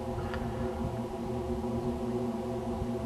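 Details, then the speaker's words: Deep drilled-well pump about 150 ft down, heard from the wellhead: steady low rumble with even hum and no knocking or surging; pump is running normally. "can hear it running hear it it's a low Rumble sounds like mugs 150 ft down is kind of hard to"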